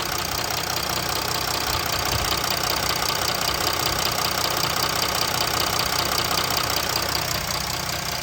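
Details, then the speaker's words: Jeep Grand Cherokee 3.0 CRD (Mercedes diesel) started after fuel filter replacement and ten ignition-on priming cycles; steady, even idle with the usual light clatter, no misses or knocks; runs without issues. "And it runs without any issues."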